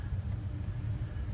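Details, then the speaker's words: Goodman gas pack being diagnosed for freezing up in A/C, non-pleated filter fitted, blower running: steady, even low whoosh and hum with no whistle, indicating good, unrestricted airflow. "okay when you have a pleated filter in there you you'll probably hear maybe some sometimes people describe as a whistling noise and they don't know what it is that is the sound that we're looking for okay so that's a system with good air flow or there's no restriction in the air flow"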